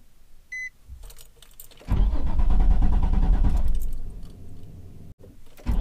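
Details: Nissan 350Z with VQ engine: key chime, then several seconds of slow starter cranking before it catches; hard start, a failing crankshaft position sensor is suspected, not confirmed.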